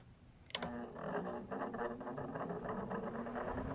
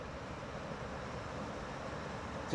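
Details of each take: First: GE (Haier) air conditioner fan motor after replacing a cracked rear fan blade: motor groans and labours spinning up, then settles to an even hum with one sharp tick; sounds fine once running; rotor sitting off-centre. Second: Newer GE (Haier) air conditioner after fixing a fan start-up noise: low, even fan hum with no rubbing, rattling or scraping at startup; motor runs smoothly and quietly.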